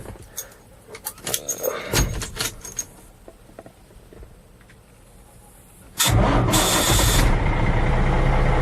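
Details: Ford F800 dump truck a week after a wiring fix to the starter solenoid, made to cure a clicking no-start: clicks and handling noises, then the engine fires at once and settles into a strong, even run; starts properly.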